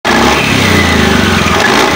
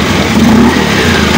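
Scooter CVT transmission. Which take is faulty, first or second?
first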